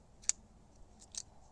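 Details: SOG Terminus XR LTE pocket knife: three crisp, sharp clicks as the blade deploys, with nothing loose between them; normal blade deployment. When the blade is left to float, the pivot ball bearings can be heard rattling slightly, probably due to tolerances.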